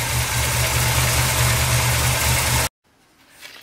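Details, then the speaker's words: Reassembled Chevy 350 V8, low on gas: steady even idle with smooth low rumble, no knocks or misses before cutting off; one side slightly noisy, valves need adjusting; functioning correctly. "everything seems to be functioning correctly"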